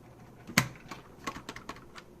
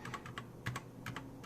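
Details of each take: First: Keychron K4 LK optical red switch freshly lubed with Super Lube oil: irregular light presses with soft clacks. The oil's smearing squeak fades after a couple of presses, leaving a smooth, well-lubed switch. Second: Unmodded, unlubed LK optical switches on a Keychron K4: a few separate keystrokes, each with a dry scratchy sliding sound on the way down, compared against the lubed switch.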